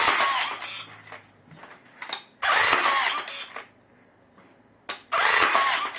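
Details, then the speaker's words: Second repaired rebar tying gun, freshly loaded spool, top covers not fitted: crisp even whirring bursts about every two and a half seconds with quiet gaps; each cycle completes cleanly, working perfectly. "Тоже все работает идеально."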